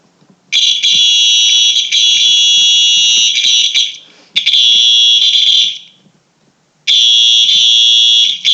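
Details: Simplex 4903-9236 alarm horn test, working after a faulty wire was fixed: loud high-pitched horn blasts of a few seconds each with short gaps; the horn is sounding properly.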